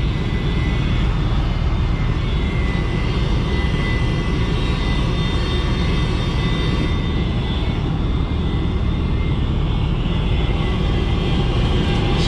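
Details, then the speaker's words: 2006 Rheem RRNA R22 gas pack with holes in the heat exchanger: once powered, the draft inducer motor gives a steady loud roar with a faint high whine and does not sound right, cause unclear. "now that i got this thing fired back up i mean power to it that draft motor does not sound right"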